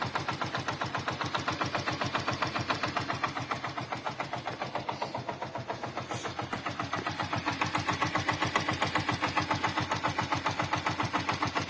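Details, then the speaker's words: Hero Glamour FI motorcycle engine at idle: steady, fast metallic ticking about 220 a minute near the crank, from the balancer or magnet side. "लेकिन sound इसी जगह से आ रहा है या तो वहां से साउंड है बैलेंसर साइड से या यहां से साउंड है यही दोनों से कोई चीज का साउंड है"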